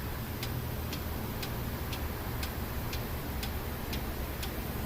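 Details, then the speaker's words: 2015 Kia Sorento 2.4 with P0011 cam timing over-advanced code, engine running: sharp, evenly spaced solid clicks about once a second from the cam actuator/oil control valve, now cycling cleanly and consistently. "oh look at that look at our pencil now listen to the click it's a solid click now"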